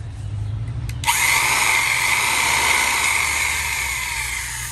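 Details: First-generation 1950s Milwaukee Model 414 Sawzall, a flea-market find that hadn't worked since the 1980s, first power-up with the original cord: switches on after a second into a steady high motor whine with even stroke buzz, no grinding or sparking; runs healthy.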